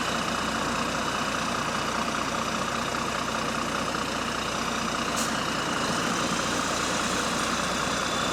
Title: Exhaust Leak | GAL WVN49 On Bus Route 89 (Spot + 13)